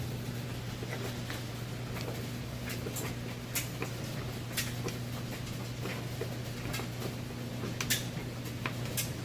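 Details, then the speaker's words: Three-year-old Maytag electric dryer on regular heat, loaded with jeans and large towels: even low motor hum with soft irregular thumps of tumbling clothes, no squeal or scraping; runs normally and heats properly. "as you can hear, that sounds great. And I'm going to show you that it heats like it's supposed to."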